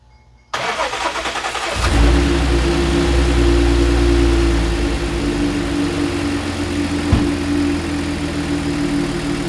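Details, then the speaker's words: Audi C7 supercharged engine after intercooler core failure and suspected hydrolock, reassembled: brief crank, catches within a second, steady even idle with no misses or knocks; normal start and idle. "right all right guys she right up ran beautifully I mean she ran extremely smooth"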